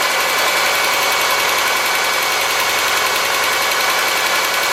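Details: '03 Subaru Forester, 178k miles, ~150 miles after head repair for a dropped valve guide, loud cold idle: fast light tapping tracking engine speed, driver-side front exhaust valve clearance .029 vs about .010; adjustment fixed it.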